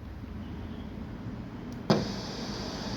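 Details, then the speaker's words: Audio mixer with its channel switches bypassed by soldering: pushing a switch up pulls the signal to ground, giving a click and then a steady hiss above the background, even on channels with no cable plugged in. "ได้ยินเสียงซ่ามั้ยครับนี่เพราะว่าสัญญาณมันถูกดึงลงกราวนะครับมันจะทำให้เสียงซ่า"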